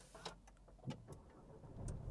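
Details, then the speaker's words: 2020 Renault Megane Icon 1.3 TCe, 4-cylinder turbo petrol, 140 hp, 240 Nm, 7-speed EDC. A quiet, low, even hum after the start with a few light clicks and little vibration (owner notes more vibration in cold weather): normal start and idle. "Aracımızı çalıştırdık. Motor böyle çok fazla titreşim yapmıyor. Fakat soğuk havalarda tabii biraz titreşim yapıyor."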